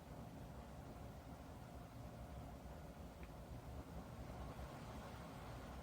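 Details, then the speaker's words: Dreo Pilot Max bladeless tower fan at maximum speed 12, heard from 6 feet away. Steady airy rush with low even motor hum, no whirring or bearing noise unlike the Pilot Pro; normal fan airflow at high speed. "Maximum speed 12. So at this speed you could hear it blowing air, and you could hear the motors, the motor I should say, spinning, but at least to my hearing I don't hear that slight whirring or bearing noise that I did in the Pro."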